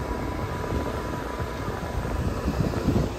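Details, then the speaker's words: Gibson air-sweep window AC with a new grille and bracket, run on high cool at spring startup: steady, even fan whoosh with a faint constant hum and no rattle or buzz; it no longer rattles on high. "it doesn't rattle on high anymore"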